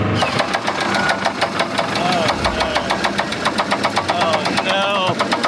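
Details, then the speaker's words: Budget boat engine knocking loudly after about an hour and a half of its first lake sea trial; steady heavy knock about six times a second over the running engine, a failing bearing hammering inside before teardown. "I don't like that sound, boys. That's not good."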